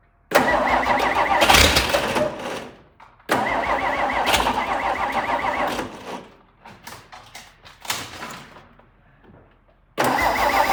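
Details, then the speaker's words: Several cranking bursts, then the V8 catches and runs unevenly before settling. This is a cold start of a '62 Studebaker not run in a while, in park with the rear wheels off the ground, once the fuel has primed. "It's been a while since this old thing started, but I see no reason why it shouldn't fire relatively easily. But it's cold out. It's going to take a minute for it to pick up prime."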